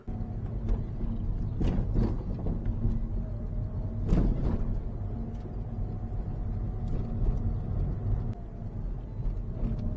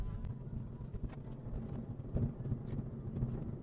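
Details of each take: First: Manual Mazda driven over repeated small bumps: loose clattering rattle from the rear; rear bumper mounting clips and clip holes worn smooth, confirmed because it went quiet when tied down with rope. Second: Manual Mazda on rough road after the exhaust heat shield was trimmed and the bumper undertrays were tied up: low road rumble with dull thumps over bumps, no metallic rattle. Rattle occurred on continuous small bumps; it later returned from worn rear bumper clips.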